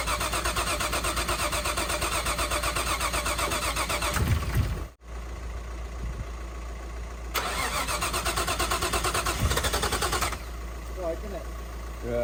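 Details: Nissan R33 Skyline, freshly built forged RB25 engine, first start on running-in oil: steady rhythmic cranking without catching or firing; no start because the spark plugs weren't firing, fixed by swapping in old plugs.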